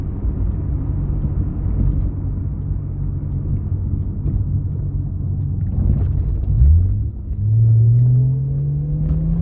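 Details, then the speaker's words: Toyota Supra 2JZ with a budget aftermarket clutch, on a road pull under boost: a deep rumbling pull, then revs suddenly flare and climb without the car keeping pace; the clutch is slipping because the engine makes too much power for it. "the cameras getting a little jumpy there that's the clutch slipping we're just over rep like that"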